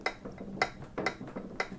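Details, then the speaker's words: 48-year-old Yamaha DT100 100cc two-stroke, rear wheel spun by hand with slightly binding drum brake: light periodic clicks about one per half second, no rumble; healthy rear wheel bearing. "The bearings, absolutely spot on. It's not rumbling. Good for 500 miles."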